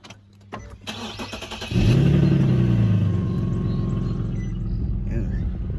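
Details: Infiniti G37 starting up: starter cranks briefly, then engine fires with an unusually loud, raspy low rumble from a pretty bad exhaust leak, before going to the shop for repair.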